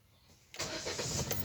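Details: Hyundai Accent petrol with no-crank no-start issue: after a moment of quiet the engine cranks briefly and catches cleanly, settling into an even run. Normal engine start.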